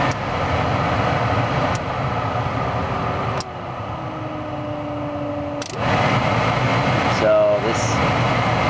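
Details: Dodge Grand Caravan (1996–2000) with a replacement front blower motor, tested before dash reassembly. A smooth, even fan whoosh steps up through each speed with a steady hum and no squeal or rattle: normal blower operation.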